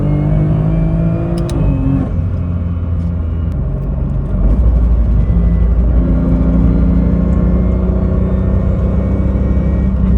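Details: BMW M2 DCT with polyurethane transmission mounts from AliExpress, off throttle: steady high whine over the engine note, shifting pitch with road speed; stiff mounts pass gear whine and vibration into the cabin.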